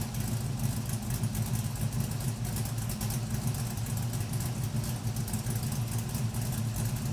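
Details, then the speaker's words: LS-swapped Camaro V8 warming after first start following a new oil pump, oil pickup tube fix, new fuel tank and finished exhaust: steady low exhaust burble, no knocks or ticks; sounds good but still low oil pressure, feared to drop when warm. "Alright, I definitely like it, so that's probably gonna stay for now. Alright, it does sound good, but unfortunately it's still kind of low on oil pressure."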